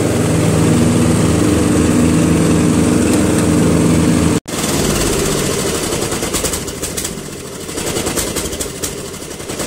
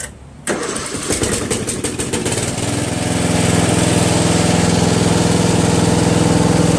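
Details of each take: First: Murray Select 12.5 hp 40-inch lawn tractor running out of gas: the even single-cylinder drone cuts out abruptly, then returns ragged, dipping and catching from fuel starvation. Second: Murray Select 12.5 hp 40-inch lawn tractor riding mower, owned almost 20 years, all safety switches working: short crank, catches almost at once and settles into a steady, even single-cylinder idle; normal start and idle.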